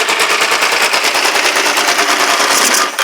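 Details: Kawasaki GPZ500S engine in a frame, run on the fuel left in the float bowl: sharp, rapid open-pipe pops, running steadily for about three seconds before shutting off. Engine running normally.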